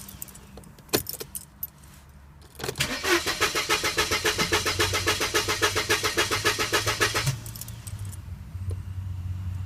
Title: Car won't start